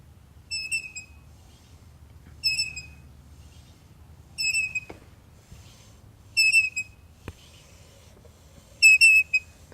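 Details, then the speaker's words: BMW S1000RR front wheel turning slowly: a high, chirpy squeak about every two seconds from the speed sensor rubbing. Loosening the sensor's mounting bolt left only normal brake drag. "so I figured out what was causing the squeal on my BMW s1000 front wheel here it was the speed sensor"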